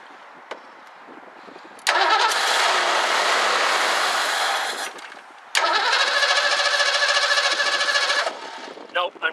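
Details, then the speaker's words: 1984 Ford Mustang GT350 barn find, spark confirmed throughout: engine catches and runs roughly about two seconds, dies, catches again for three, then quits; carburetor suspected, carb kit to be installed. "okay I'm gettin spark'd the whole time so it's not dying because it's losing spark"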